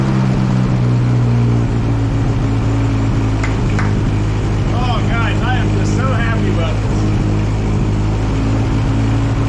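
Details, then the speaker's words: One-owner barn-find 1964 Jeep CJ5, engine previously stuck and just freed, first sustained run, still smoking: steady, even low rumble at a constant idle speed with no knocks or misses; a smooth, healthy idle. "this you guys hear how smooth this thing's actually running this is unbelievable from being being a locked up hunk of scrap IR to running that smooth that quickly is impressive"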